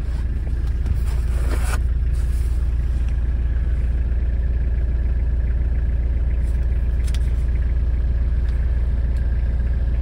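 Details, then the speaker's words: Just-imported 4WD diesel vehicle with about 37,000–38,000 original miles: deep, smooth chug at a steady, regular beat of about three and a half per second; healthy, even idle. "but listen to that engine 37 000 original miles 38 000 Maybe incredible boy oh boy I love the sound of that"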